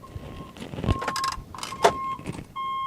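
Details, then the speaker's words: Renault Kangoo Maxi ZE33 electric van in reverse: a steady high-pitched buzzer sounds in repeated stretches, the normal reversing warning at the rear, which can be disabled. "you'll hear there there is a buzzer going at the back of the van but uh with all of these things you can disable it"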